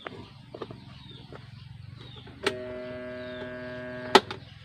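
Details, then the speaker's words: Electric fan that won't spin: after a click, a steady electrical hum with no blade whoosh; winding is intact (not open), motor stalled with seized shaft. "yun ang kanyang problema mga bro umuugong lang Okay so ang ibig sabihin niyan mga bro ay okay naman yung k ng ating motor yung winding niya walang Lagot"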